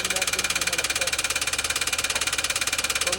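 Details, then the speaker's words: Toyota Wigo that parked fine yesterday now won't start; very loud engine with an even knock about three times a second, connecting rod knock, suspected connecting rod damage; cylinders oiled against rust, to be repaired at the shop. "Sobrang ingay na ng kanyang makina mga boss kaya pinag-uusapan na namin ni sir kung ah saan namin gagawin 'to."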